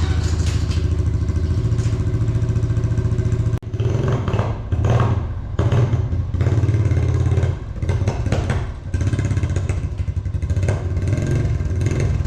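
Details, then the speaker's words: Honda TRX350 ATV single-cylinder after carburetor cleaning bogs and stutters through throttle blips, won't rev; owner suspects non-stock air filter lacks back pressure for carb slide, or ripped slide diaphragm, possibly valve adjustment. "That's why I say stock air filters are important. If they don't have enough back pressure, they won't make it run properly."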